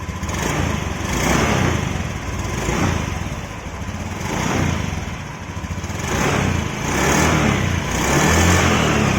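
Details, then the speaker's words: Honda Scoopy scooter engine after rebuild, revved hard in repeated swells: smooth rising and falling drone, earlier rattling inside engine at high revs (thought piston-related) now gone; sounds healthy. "Dengarkan suara mesinnya. Suara itu langsung menjadi lebih halus. Suara berisik itu sudah hilang sepenuhnya."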